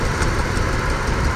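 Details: 1999 Ford Expedition 4.6L V8 idling with an uneven loping beat, about three stumbles a second, misfiring on cylinder 5 with no misfire code after a customer tune-up; injector on number five found at fault, plugged back in.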